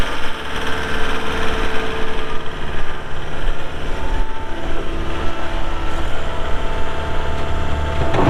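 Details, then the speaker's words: 2013 Caterpillar 246D diesel skid steer loader, 4,471 hours, started for an operational run: steady, even diesel idle with a low, regular beat and no knocks or rattles, healthy normal idle. "We'll fire it up and get right into an operational video."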